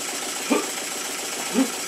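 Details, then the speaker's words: Rebuilt model steam engine made circa 1896, first compressed-air test after oiling and setting slide-valve timing: steady airy hiss with soft regular chuff about once a second, no knocking or banging; runs well though weak crankshaft wobbles near crank pin. "And it works very well indeed. It doesn't knock. It doesn't bang, but the crankshaft is still very weak and it's wobbling about around the area of the crank pin."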